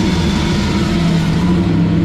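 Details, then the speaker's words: 1966 Mustang carbureted V8, first startup in 40 years: steady fast even idle that stays high without settling, rather smoky; carburetor idle speed set too high, otherwise running cleanly. "I got to say with the exception of an idland high it don't really sound horrible just got to figure out how to adjust the idle now cuz I'm not hip to carburetors too"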